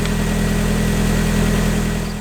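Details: Mazda Miata idling right after installing a DW100 fuel pump to replace the failed pump that made it shut off while driving; smooth, even idle with a steady low hum and no misses or knocks; normal idle after repair.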